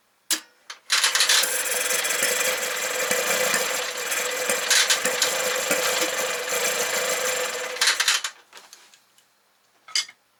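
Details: 1968 Kohler 6.5kW marine generator (model 6.5A27, under 300 hours) during rehab: steady fast cranking with a hint of firing, then drops away without catching; fuel blowing out exhaust port, gasket shot; cranks but will not start.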